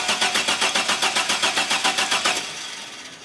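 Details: GM 4.3L Astro/Safari van with intermittent no-start: steady rapid cranking, engine never catches; fuel pressure tests fine at about 55–61 psi, owner suspects ignition such as a bad aftermarket coil; crank, no start.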